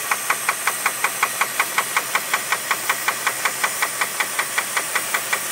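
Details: 2001 Jeep Grand Cherokee 4.7 engine running; sharp evenly spaced metallic knocks about two and a half per second over quiet background; owner suspects rod knock, not confirmed.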